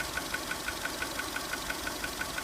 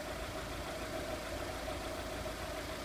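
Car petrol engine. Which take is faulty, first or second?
first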